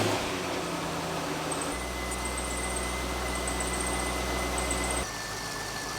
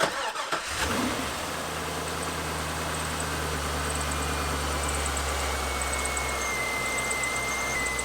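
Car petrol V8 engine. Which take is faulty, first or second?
second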